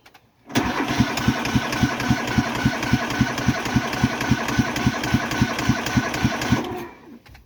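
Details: Cub Cadet Series 2000 cold start after sitting 8 months, battery just reconnected and little fuel in the tank; about six seconds of steady cranking at roughly 3.5 strokes per second without catching; hard starting, extended cranking.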